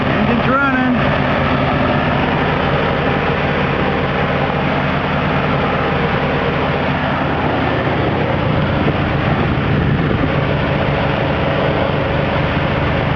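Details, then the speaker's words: 1983 Ford E-150 van 5.8L V8, started cold after water pump and timing chain work: steady, even low rumble at constant idle with no knocks or ticks; no coolant leaks, left running to reach temperature; normal running. "all right I don't see any leak we'll let it run until the uh temperature comes up"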